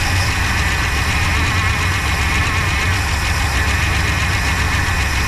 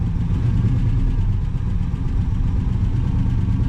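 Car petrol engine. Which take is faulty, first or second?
first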